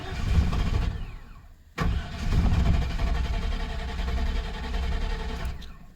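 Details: 1997 GM truck, 5.7 V8, hard to start cold; fuel pump replaced about two years ago and many ignition parts and sensors replaced; long cold cranking with a few weak firings that never catch, then a brief stumbling run; fuel starvation.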